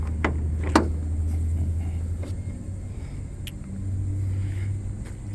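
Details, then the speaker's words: 2010 BMW 335d diesel, cold start, recorded at the engine with the hood open, DPF likely deleted and tuned: deep, steady diesel idle, even and settled with no misfire or knocking, then small revs; sounds pretty good, normal cold start. "so again this is a cold start the car has not R okay give it a little revs [Music] that sounds pretty good"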